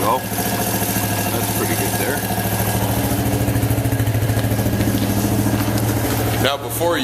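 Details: Carbureted Suzuki quad (ATV) warming up after starting on choke; it previously bogged and died when revved: steady, even idle with a regular firing beat, no hunting or stumbling, sounding healthy and possibly needing no carburetor adjustment.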